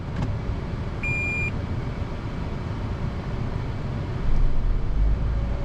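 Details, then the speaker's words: Toyota Prius (2004–2014) after replacing a failed 10-year-old 12V battery: brief chime, then the petrol engine fires and runs smoothly once the ready light comes on. Normal hybrid start. "I did hear the motor start. That's good. And it does move forward. Good."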